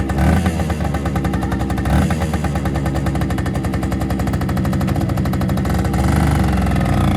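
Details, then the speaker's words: 1974 Kawasaki MC1 90cc two-stroke motorcycle after fitting a new spark plug (cleaning the old one hadn't worked): crisp, regular popping holding an even beat and picking up cleanly with throttle; now runs healthy. "all right so new spark plug I guess fixed it I guess the other one I just just cleaning it didn't do it"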